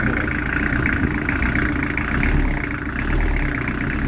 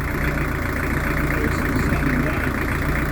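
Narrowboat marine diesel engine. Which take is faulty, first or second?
second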